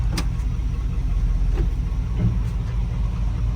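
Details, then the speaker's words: 1981 Dodge Ram 350 with an Edelbrock 600 CFM carburetor. Deep, uneven, lumpy idle with ticks and surging, from a clogged idle jet/circuit; owner later cleared it by blowing compressed air through the idle circuit. "almost can't be there it's running so bad it's even surging now"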